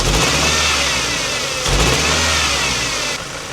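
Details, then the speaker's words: Ford Transit Connect camper van being revved on the driveway: rough, stumbling revs breaking up as throttle opens, horrendous misfire; draining coolant from spark plug tubes didn't help, owner suspects coil pack, testing spark plugs next. "Before I even pulled off the driveway, it started to misfire horrendously again, as you can see. Let me rev it back up for you, just so you can hear."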